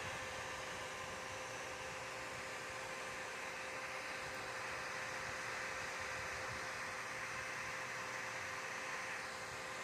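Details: Dell OptiPlex 3020 desktop: steady, loud airy whoosh with a faint constant hum that never lets up; cooling fan running far louder than it should.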